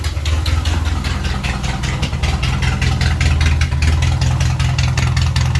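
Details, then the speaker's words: 1978 MG Midget 1.5 with side-draft carbs, revived after years neglected; low idle with loose, slightly uneven beat of about 2.5 pulses a second that stumbles now and then; runs alright but carbs still break up a little. "Sucks that the carbs are like, it runs alright, but seems to break up a little still."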